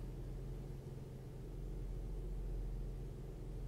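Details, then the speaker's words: Lincoln MKT after fuel pump replacement for lean codes P0171/P0174: low, steady, smooth idle with no knocks or hunting. Total fuel trim on Bank two is within plus or minus 10%, so it is no longer running lean. "okay so this engine is no longer running lean this is fixed guys I love the numbers that I'm looking at okay"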